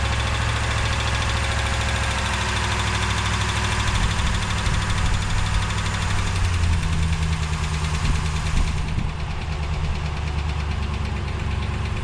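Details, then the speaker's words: 2017 Ram 1500 Hemi V8 parts truck with 143k, listed as non-running, at cold idle with a quick, sharp tick over the rumble; suspected exhaust manifold leak, possibly a lifter at worst; manifold gaskets ordered. "all these hems have exhaust manifold leaks and this thing has 143 on it is it an exhaust manifold leak two could it be a lifter that's worst case scenario"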